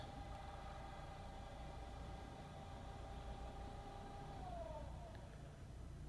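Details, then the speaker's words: Paramount MyT telescope mount on a lab test stand, homing via joystick: faint steady motor whine with smooth pitch glide as it slews, no grinding or clicks; very quiet, normal. "Wow that's very smooth very quiet all seems very happy"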